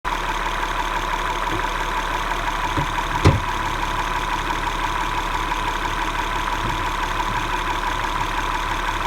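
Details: 2011 MDX petrol V6 at idle: steady running with a fast, even ticking and a faint knock through the engine note. Engine knocking and ticking at idle.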